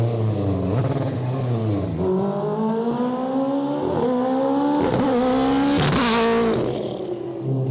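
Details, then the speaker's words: AWD 4-rotor Mazda RX-7, test of newly set-up strain-gauge flat shifter on a fast-shifting transmission: high-revving rotary climbs, each quick upshift cuts with a brief choppy stutter; shifts tighter and cleaner but ignition-cut timing still slightly off, to be tightened. "There you go. Way tighter, way cleaner. And even then, I'm still leaving a little bit on the table. You can hear the car stutter a little bit, and we'll tighten that up."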